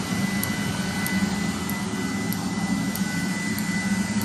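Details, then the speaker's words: 30,000 BTU/hr multi-fuel fuel-fired personal cab heater for a 1973 M35A2 deuce and a half, switched from high to low: fuel metering valve audibly changes speed, with fast regular ticking over a steady rushing burner roar; normal running on low. "And there I've got low. You heard the fuel metering valve right here change speed."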